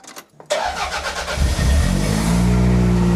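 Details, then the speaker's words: Toyota Celica GT-Four with a flat battery, started on a jump starter after a first failed try: quick half-second of cranking, then it catches at once and settles into a steady, even idle; clean, healthy start. "Oh, wow. That is not that. Didn't even struggle. Well, that's a win."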